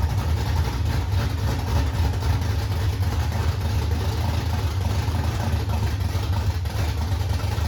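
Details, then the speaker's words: 1968 Ford Mustang V8 holding an even, loud, deep idle burble with no clanking or knocking from the bottom end; healthy. "No, there was no clanking. No, sounds good."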